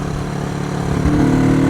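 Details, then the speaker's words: Honda CB360 twin, unridden 3 years, weak battery so revs kept up, on a ride: pulls smoothly with even firing and rising pitch, both cylinders working; earlier ran on one cylinder, now sounds healthy. "It seems to be running pretty good. It's a rocket ship. Sounds good."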